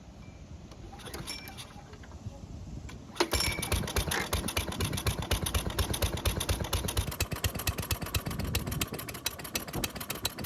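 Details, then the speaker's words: Toro lawnmower that starts but won't reach full speed, with fresh ethanol-free fuel, oil full, and air filter removed (it won't start with it fitted): fires then chugs with an uneven, loping beat that never settles. Running rough; cause unknown. "And as you just heard, the engine's running very choppy, which is not what you want in a lawnmower."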